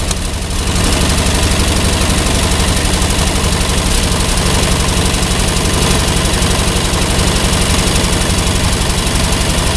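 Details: Ford 8N tractor with Ford six-cylinder flathead truck engine keeps idling steadily after the ignition switch was disconnected; a new one-wire alternator connected to the 3-wire harness backfeeds through the exciter wire, and the fix is dead-heading that wire.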